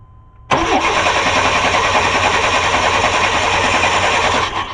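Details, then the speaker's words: 1994 Chevy Cheyenne 2500, 4.3 Vortec V6, died while towing on the interstate: starter spins engine at an even quick beat for about four seconds, never fires; spark tester shows no spark, fuel present, coil suspected — crank no start, no spark. "go ahead no spark no spark very interesting"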